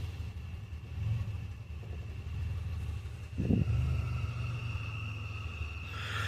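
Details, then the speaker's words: 2005 Chevy Impala at idle, also misfiring and not shifting out of first: low idle rumble swells and sags every couple of seconds as lights dim; surging idle, with low fuel warning shown, owner suspects low fuel, cause unclear. "Oh man, the lights went real dim on it. Surging. I revved it up a little bit ago, but it Yeah, it's just"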